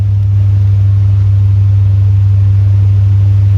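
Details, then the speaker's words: 1971 chrome-bumper C3 Corvette: engine holds a fast steady drone well above normal idle, won't kick down, alternator belt also squeaking; idle set too high. "All right. Yeah, it's so high. It's idling so high."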